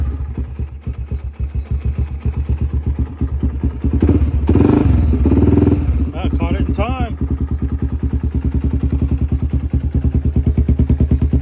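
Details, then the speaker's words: Honda 300EX ATV not started for months, choke on, fuel on: single cylinder catches after a few cranks and settles into a steady, slightly lumpy thump about three per second, running evenly; normal cold start. "all right let's see if this honda 300 ex will fire up not been started for a while"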